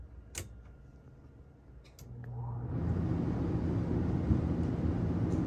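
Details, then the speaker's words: RV rooftop AC switched on for the first time after installing a Wacko RV AC silencer: a soft hum builds into a smooth, even fan rush with no rattles. It is noticeably quieter and runs normally. "Oh wow, that's quite a bit quieter."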